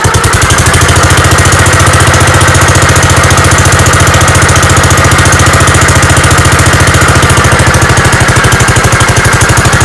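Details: Gravely 5665 running on newly installed Chinese carburetor, mixture screws at 1.5 turns, air cleaner fitted, unloaded: small single thumping at steady quick beat, no surging or stalling; runs normally, load test still pending.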